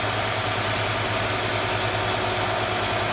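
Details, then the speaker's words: Mercedes W124/W126 KE-Jetronic engine, warm, idling high around 1,500 rpm: steady even hum faster than normal idle; idle control valve lets in too much air, fixed by adjusting the valve. "I know this thing works it just it gives the engine too much air in ity"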